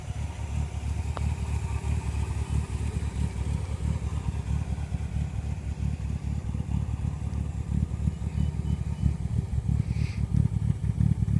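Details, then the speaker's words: 1957 Morgan Plus 4 with Triumph TR4 engine (about 2188cc), cold start, good oil pressure: lumpy, slightly uneven low idle with steady pulse, running rich because it is still choked. "it's making that sound because it's still choked"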